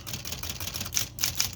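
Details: Smith Corona Electra 220 electric typewriter after repair: crisp typebar strikes over a low steady motor hum, with the earlier inconsistent motor rattle and buzz gone. A paper clip in the motor is the usual cause. Normal operation.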